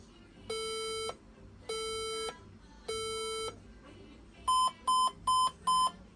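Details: Desktop computer powered by a wrong old adapter after moving tables: three long even beeps about a second apart, then four short higher beeps, with no display; fixed by using the correct adapter (fan or RAM can also cause it).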